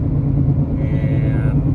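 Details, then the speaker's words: 2016 Toyota RAV4 heard from inside the cabin while driving: deep continuous growl that changes with speed, felt through the floor; suspected right front wheel bearing, worn. "And as you can hear, this thing's making a really bad noise. I suspect it's coming from the right front."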